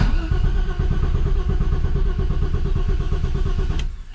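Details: BMW E30 325is pulled from the woods after years sitting, fuel pumps being diagnosed: starter cranks at a steady rhythm for several seconds but it never fires; crank-no-start, cause not confirmed.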